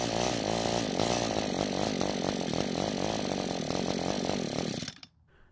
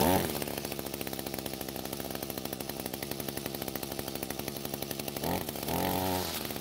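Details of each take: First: Echo GT200R two-stroke string trimmer that starts but won't stay running: a rough buzzing idle holds a few seconds, then winds down and dies. It runs lean and only keeps running with the carb choked. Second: Echo GT200R trimmer after carb adjustment and re-engaging drive shaft: steady two-stroke buzz, clean blips to high revs and back; running properly, high-speed screw already correctly set.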